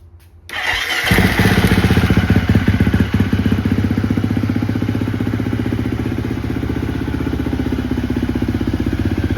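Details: 2017 Husqvarna FC 350 with 126.5 hours, Rekluse clutch, started cold: brief crank, then catches and settles into a steady, even idle with regular firing and no knocks or rattles; normal cold start.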